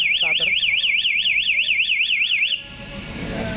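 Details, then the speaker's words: KTM Duke 200 with a newly installed MP 1-way alarm, armed in silent mode, ignition switched on and starter pressed: loud warbling siren rising and falling about twice a second; alarm triggered, engine immobilised from starting. "Tapi saat terjadi leter t Kontak Pak saya mesin tidak bisa dihidupkan"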